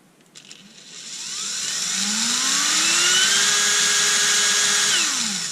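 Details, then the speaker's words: Erbauer 18V brushless drill, speed potentiometer ground unsoldered so only two wires connected: clean whine climbs smoothly, holds steady, then winds down evenly; variable speed still works. "now, does our variable speed still work? Yes, it does."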